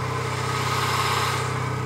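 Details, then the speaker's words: 1999 Toyota Corolla 1.8, engine still cold, slow idle in gear: soft regular knock over the engine beat that stops when the wheels are turned; power steering pump pulley knock. "you can tell when the wheels turned the noise stops after a while starts to sound like a knock the engine's still too cold"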